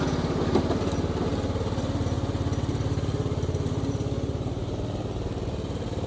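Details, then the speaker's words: Craftsman YTS3000 riding mower single-cylinder engine, given away for a suspected rod knock, after valve adjustment; runs at a steady, even beat with no knocks or rattles; normal running. "I think it's more working pretty good seems like we got our problem fixed"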